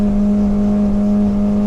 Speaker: Yeah, you can hear that hitting the rev limiter. Right there, I had to back off a little bit. And we didn't lose any speed, so you can see I hit that rev limiter.